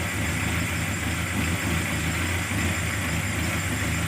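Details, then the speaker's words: Carburetted engine after fixing hard starting, misfire and power loss by opening the solenoid valve and removing its needle, with the carburetor then adjusted; starts immediately, steady idle with a busy hiss, no stumbling or popping; normal idle. "hasilnya bagus langsung hidup ya mudah sekali hidupnya"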